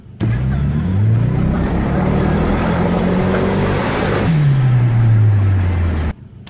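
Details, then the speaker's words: Turbo car before spark plug replacement: engine revs above 3000 rpm and the note turns rough and sputtering, a high-rpm misfire from missing spark, first mistaken for fuel filter; cured by properly gapped new plugs. "whenever it reach 3000 rpm or higher it would sputter a little bit at first of effort at first I thought it was a fuel filter issue it sounded like the fuel was cutting off but it was actually misfiring at higher rpms because it was missing spark and higher rpms"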